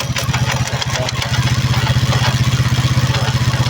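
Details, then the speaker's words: Vento Raider 150 motorcycle: fast, even metallic rattling over a low engine drone from the gearbox, barely heard in first, less in second, worst in fourth gear; gearbox noise in fourth gear. "Tercera y en la cuarta es donde tiene la falla"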